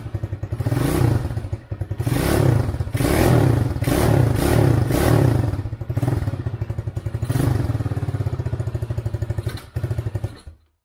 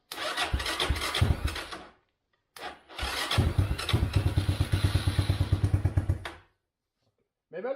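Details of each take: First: Chinese ATV standing over six years, homemade harness, cold engine: lumpy single-cylinder thumping that surges and sags, then dies away when choke is taken off; cold engine stalls without choke. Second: Chinese ATV standing over six years, with homemade main wiring harness, started without starter fluid: starter cranks, engine catches and runs unevenly with rough popping idle before stopping; fires on its own.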